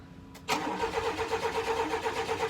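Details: Chevy K1500 truck that sat for years, cranking on a new battery with starting spray: steady cranking about five beats a second, nearly firing but never catching; fuel-starved, no fuel reaching the engine.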